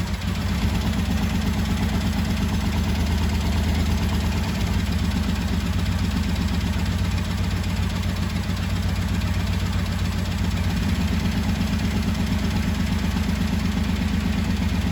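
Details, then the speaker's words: 1985 Honda VT1100 Shadow V-twin, revived after 25 years, loud with the airbox off for testing, before carb balancing. Lumpy, uneven idle with a loping, irregular beat and no steady rhythm. Carburetors pretty far out of balance at idle. "You can see how important balancing is. V-twin, twin cylinder. It's a little less obvious, I think, on a inline 4 or something, because they can be off, like you saw how significant that was."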